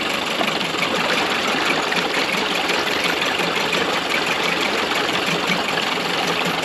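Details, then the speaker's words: Early-90s 8 hp Mercury two-stroke outboard after carb rebuild and maintenance, mixture screw about 1¼–1½ turns out: steady, even burbling idle with no stumbling or surging; normal idle. "the motor sounds pretty good um if this was like a 99 or 15 probably I'd probably do a little bit more adjustments but one half turns to this Edge it seems like it's a pretty good spot"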